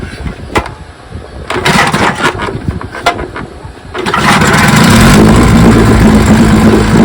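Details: 1957 Johnson 15 HP outboard, first run after 60+ years, after magneto, carburettor and lower unit rebuild and replaced skeg: a few pull-starts, then it catches and settles into a steady, even two-stroke buzz; runs healthy.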